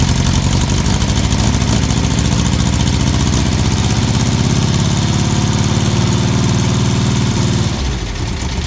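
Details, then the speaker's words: Freshly top-end-rebuilt 1641cc engine with ported heads, first start on the ground without cooling tins: fires and settles into an even, steady idle with a smooth beat for about eight seconds, then shuts off cleanly. "let's start it up let's hear it run this will be the engine's first start"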